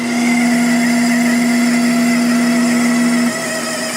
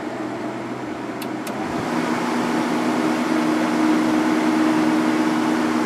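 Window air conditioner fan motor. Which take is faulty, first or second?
first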